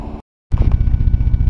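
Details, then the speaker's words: 1989 Toyota Corolla All-Trac wagon, new battery, restarted on a warm day after sitting all winter: after a brief cutout it settles into a deep, even, steady idle, no knocks or misses; runs fine. "now that's a Toyota for you runs fine does not like the cold"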